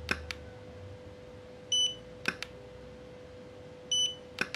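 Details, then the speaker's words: Godox V850 speedlite after repair, test-fired at full power: a sharp flash pop, then a short high ready-beep under two seconds later, repeating evenly; recycles properly, about two seconds. "Iya reloadnya juga bagus ya teman-teman ya dua detikan seperti itu ya"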